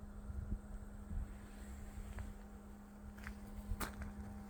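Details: Bison hand water pump, mostly in colder weather below 50°F: low steady one-pitch groan with faint knocks, shortly after pumping stops and water drains at the freeze line drain hole; cause unknown.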